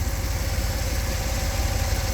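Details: 1959 Ford Thunderbird 352 V8, first crank of the inspection with many engine parts replaced in 2015: deep, steady burble with an even low rumble, no ticks or misses; idling smoothly and healthy.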